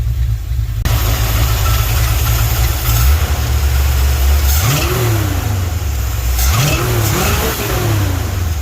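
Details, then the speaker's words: Sweptline truck's vacuum-secondary Holley after ultrasonic cleaning and rebuild, air cleaner off: lumpy V8 idle with two clean throttle blips rising and falling smoothly, no stumble; a definite improvement. "put it back together, and it's better. I'm happy."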